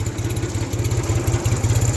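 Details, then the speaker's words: 1974 Ford 3000 gas three-cylinder tractor, 8-speed, revived after water in cylinders locked the engine; freed, new cylinders and muffler. Steady, even low putter at idle with regular firing pulses and light mechanical clatter; runs smoothly, normal idle. "i didn't know if it was going to run the way it does but it does run pretty good now"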